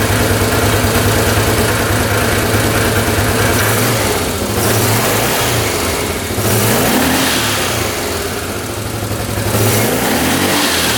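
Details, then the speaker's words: 1998 Yamaha Grizzly 600 ATV single-cylinder fires up and revs out cleanly to high speed, no popping from the carb; after a new CDI, fresh fuel and oil, owner hopes this fixes its 10 mph limit, not yet test-driven. "That sounds pretty darn good. See how high that was revving? I think that might have been the fix."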